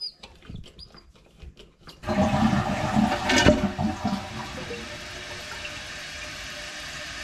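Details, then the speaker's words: Toilet tank refilling after cleaning and reseating the fill valve: a few light clicks, then flush settling into a soft, even refill rush, no more hissing and filling much quicker; normal refill. "you can tell that that is much quieter now there's no more hissing sound and uh the tank is definitely filling much quicker"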